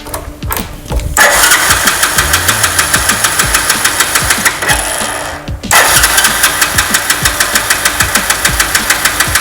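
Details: Mahindra Centuro motorcycle converted to LPG kit, petrol drained from carburettor, vaporiser primed: cranking gives way to a steady, even single-cylinder beat about three pulses a second, no misfire or stumble; normal running on gas.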